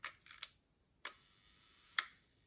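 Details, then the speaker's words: Mint, new-old-stock early Leica MP with M6 ISO dial, just back from Leica factory service: a few crisp, soft single shutter clicks, quiet and clean, no drag or rattle; smooth, healthy shutter. "Leica service, fresh service. It's very quiet and soft. Of course, it's smooth."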